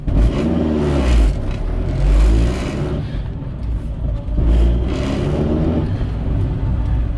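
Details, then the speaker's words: 20-year-old Renault Kangoo 1 pulling away uphill in first gear: deep shuddering vibration rumble from front right, barely audible outside, caused by worn right engine mount; clutch, gearbox and wheels ruled out. "c'est ce bruit de vibrations c'est le enfin celle où le bloc motos tracteurs là comme on dit donc qui vibre"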